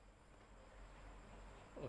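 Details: Electric fan after a temporary repair with thread: a faint, steady low hum, smooth running, and the earlier knocking clicks are gone.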